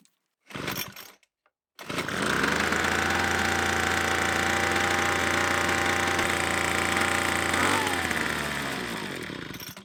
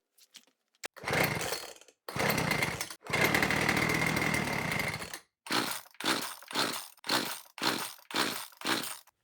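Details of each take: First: Troy-Bilt TB2MB leaf blower after new fuel lines and a spark plug cleaning, with about 125 PSI compression: fires and screams at high revs, then sags and dies instead of idling; carburetor suspected. Will not idle, carburetor fault. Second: Small two-stroke leaf blower after repair with tank refitted, fuel line reconnected and new filter, no primer bulb: a few pulls, then catches and runs crisply, revving cleanly on each throttle blip; normal running.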